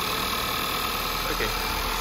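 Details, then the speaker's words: 2011 VW Polo MK5 1.2 TSI CBZA, about 100,000 km, first start after timing chain and crankshaft sprocket upgraded to newer revision: fires immediately, smooth steady idle with no chain rattle. "right away fire no issues running very smooth very nice"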